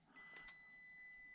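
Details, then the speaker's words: Stock speed controller of a micro crawler running on AAA batteries, on high speed setting: thin steady high-pitched whistle as the motor creeps slowly; annoying PWM whine though low-speed modulation is superior to all others tested. "it also emits annoying noise as you can hear now but the low speed modulation is really superior to all others in my opinion"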